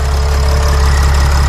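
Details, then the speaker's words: Mercedes Sprinter van 3.0L diesel, after engine oil cooler replacement, heard under the hood: smooth even low idle with steady beat, no misses or knocks; engine sounds good, repair fixed. "so the engine is running the engine sounds good good job guys we did great work this is fixed"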